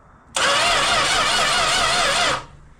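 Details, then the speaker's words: Classic six-cylinder project car, cranked by remote starter trigger with the battery connected: about two seconds of steady cranking that never catches; no spark, and a test light shows no power at the coil. "We in fact have no power at the coil."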